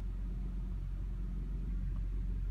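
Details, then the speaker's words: 2007 Honda Accord V6 on a cold morning start, the day after replacing the power steering return line O-ring that had let air into the pump: steady engine hum with no groan or whine, even when turning the wheel. "Tôi mới khởi động xe (sáng hôm sau) và không còn tiếng ồn nữa! nó chỉ là tiếng động cơ kêu vo vo thôi"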